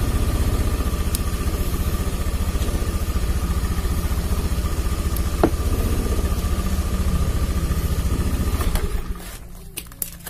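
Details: Honda Beat FI running with the corroded battery disconnected. The idle putters evenly at about three and a half beats a second with no stumbles or misses, then shuts off cleanly. Its earlier hunting idle and stalling on throttle were traced to intermittent battery current.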